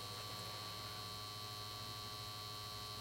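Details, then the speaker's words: 1953 Chevrolet Deluxe Two-Ten tube car radio, model 986668, vibrator supply at 6 V, about 600 mA, while reforming capacitors with B+ climbing toward 255 V: steady even hum with fine buzz, no crackle or stutter; normal, power supply judged good. "but I'd say this is a successful test I think our power supply is good"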